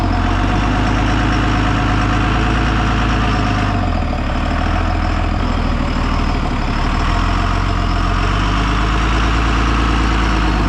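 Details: 2002 Cummins-powered Snap-on step van, sat about ten years, just revived and put in park: steady, even low diesel clatter at idle with no misses, knocks or hunting; healthy normal idle.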